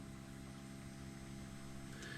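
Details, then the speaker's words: Air-cooled 2.0 VW Vanagon Westfalia ('81), first battery hookup before first start: faint steady low hum at one pitch; electric fuel pump getting power and running. "That's fuel pump. All right. So, at some point the fuel pump's getting power."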